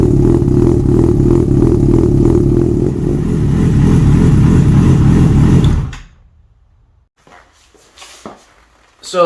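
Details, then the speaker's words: Yamaha FZ6 Fazer with removable straight-through baffles taken out of the exhausts: deep, loud, throaty idle and revs for six seconds, then shut off; open exhaust note. "you have it doesn't it sound cool it actually excites me the sound of this little review just goes to show that you don't need a thousand cc's to create some excitement inside you"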